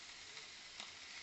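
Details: Steady, even hiss of liquid gas flowing into the gas tank of a live steam boat unit, with no sputtering or gaps; normal refilling, though the tank has no gauge or purge and tends to fill incompletely.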